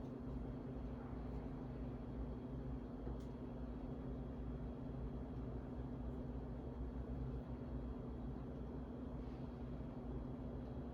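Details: Steady low droning hum as a dirty 52" Harbor Breeze Asheville ceiling fan dated February 2013 turns slowly and evenly, before restoration; a bad capacitor leaves the motor sluggish.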